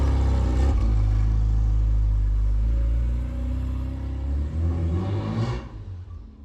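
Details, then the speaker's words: Classic Mini Cooper S Sport 5, first start in about eight months after cranking without the coil for oil pressure, started on the button: fires, firm idle, revs smoothly up and back down with an even beat; normal start and rev after storage. "there we go looking just as gorgeous as I remember it started on the button as well didn't you"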